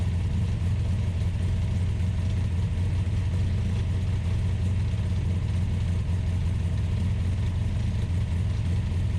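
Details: Ultima GTR supercar with American V8 warming up after a jumper-pack start: steady deep drone at an elevated, even speed with no dips, idle sitting too high; fans pulling hot air, gauge reading only about 60 degrees.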